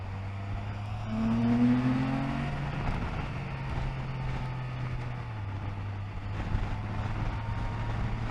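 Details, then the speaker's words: Can-Am Spyder F3 on the highway after the drive belt was tightened half to three-quarters of a turn per side: steady engine and road drone at cruise, with the earlier abnormal belt noise heard around 28–29 mph now gone; normal belt drive. "yep noise is gone now don't get me wrong these bikes do make a lot of noise more noises than any other bike I've owned like different kind of noises"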